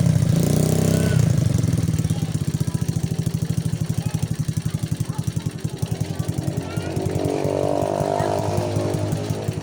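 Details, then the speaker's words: Rusi 110 motorcycle that misfired, struggled uphill then wouldn't run; after fixing poor contacts in wiring and spark plug cable, steady even single-cylinder putter without stumbling or cutting out: normal running. "ngayon okay na siya good na siya Hindi na siya pumapalya So tuloy-tuloy na angb nito"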